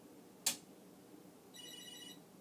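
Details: Commodore SuperPET SP9000, first power since the 1980s, mode-select switches not fitted, listening at the monitor: click then thin high chirp about half a second; cause unclear.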